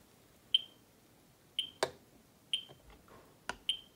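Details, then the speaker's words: Ludlum 14c Geiger counter with Ludlum 44-3 gamma scintillator, audio on, x1000 range, held toward a radium-painted Westclox Big Ben clock: short high chirps at uneven gaps about one a second while the meter barely moves; detecting radiation. "meter doesn't really move that much but you can hear the audio chirping"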